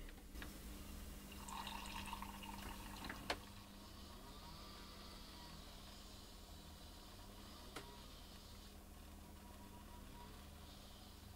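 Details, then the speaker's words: Nespresso Aeroccino after repair of its blown heating element. The button clicks when pressed, then a quiet, steady motor hum with milk swirling as it heats and froths; it is working normally. "And you can hear it, if you just press it, you can hear it clicking, so that's working."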